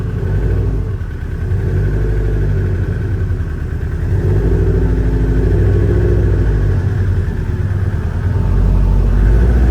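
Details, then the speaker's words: Subaru STI with an EJ257 engine at idle: a deep idle with a dull, slightly uneven knock. The cause is unknown; the owner suspects the power steering pump and will remove its belt, or possibly something in the engine. "I'm gonna go ahead and take this belt off right here to see if it is the power steering pump, because that knocking noise sounds like it's coming from right here."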